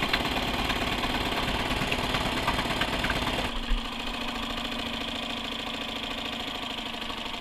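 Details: Suzuki 2.5 hp outboard after JB Weld repair of broken water pump tube and new pull-start rope, test run with water flowing: steady fast single-cylinder putter settling to smooth even idle; running healthy.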